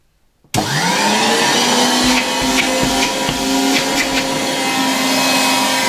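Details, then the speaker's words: 1960 Polish Alfa II vacuum cleaner plugged straight into the mains briefly, motor brushes very worn and due for replacement: motor spins up quickly to a steady, even high hum with strong airflow, no rattle or surging; normal running, good suction. "A very nice vacuum cleaner, with really good suction power. I could easily vacuum with it here in the workshop."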